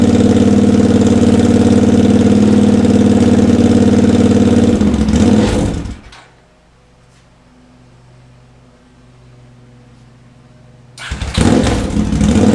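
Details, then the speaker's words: Honda GL650 on its first start after a full rewire, with stock headers, a crossover, a merge and a Cone Engineering muffler: a steady, even idle for several seconds, shut off, then it fires straight back up, sounding healthy; normal idle. "it's probably good for the first start the smoke it's baking the paint onto the pipes and the heat wrap and whatnot this sounds really good right"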